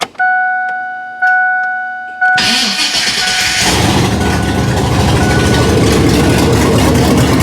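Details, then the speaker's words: 1999 Ford Ranger with LQ4 V8 and 4L80E swap, first start; chimes, cranks, catches and holds a raised, unsettled hanging idle that doesn't drop; engine coolant temp sensor not yet working. "You'll hear the hanging idle."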